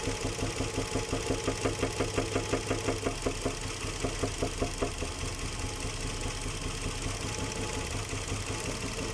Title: Ниссан Мурано z50 Стук шатуна. #ниссан мурано #nissan murano